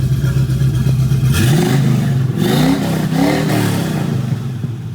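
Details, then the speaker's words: 1976 Chevrolet Camaro V8 revving: deep idle rises cleanly through several blips and settles back smoothly, no knock, miss or rattle; healthy engine. "That sounds great, guys. This is a beautiful car."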